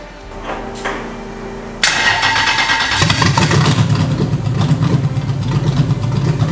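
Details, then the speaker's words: Lexus LS400 V8 swapped into BMW E30, first start with no map: cranks and catches, then uneven lumpy loping burble like a 1960s Chevy; suspected running on only four cylinders, one manifold much colder than the other. "you might have noticed it sounds like a 1960s Chevy shouldn't really sound like that and that's where Sam sees an issue okay apparently we're only running on four cylinders"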